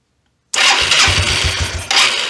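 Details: 1993 Yamaha Riva 125 (Beluga) scooter after fitting a cheap replacement GY6-type carburetor: silence, then the single catches right away and settles into a quick, even putter. Clean, normal start.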